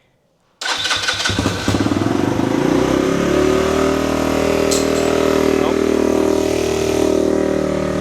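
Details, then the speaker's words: Pulse Adrenaline 125 motorcycle after sitting four years, carburettor rebuilt, new fuel tap, ignition rebuilt, fresh fuel, cold start on choke: silence, then the single catches and settles into a steady, even fast idle; starts cleanly and runs smoothly. "It's alive! Just let it warm up a little bit, then we can take it off the choke."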